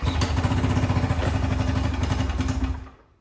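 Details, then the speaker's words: 2008 Ski-Doo Rev two-stroke twin snowmobile sold as blown up, on choke with belt off: crisp rapid buzz with steady even pulses, fired right away; running normally on both cylinders. "is sure sounds like it's running on two so as you guys just saw this thing fired up right away no starting fluid or anything um it seemed to smooth out pretty nicely"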